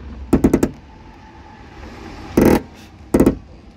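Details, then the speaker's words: Ram 2500 door hinge, swung open and shut. Loud clunks and creaks in short bursts each time the door moves, three separate bursts; the worn hinge binds, and the owner may replace it. "I might end up just getting a new hinge for it, to be honest, but it is loud."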